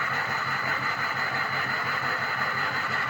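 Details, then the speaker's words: Diesel pickup still logging a cylinder 3 contribution fault after a new injector harness: lumpy, uneven idle, roughly two pulses a second, choppy when it shouldn't be; owner plans to replace the cylinder 3 injector. "it still sounds choppy, even though it's not supposed to be choppy."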